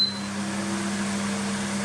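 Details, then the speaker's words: Dimplex 360 Turbo 9 inch oscillating desk fan (45 W) on its third, highest speed: steady airy rush with constant low hum, no rattle or wobble; very loud, too loud to sleep with, but normal. "is very loud. I don't know whether you can hear that through the microphone properly, but you wouldn't be able to sleep at night on the third setting."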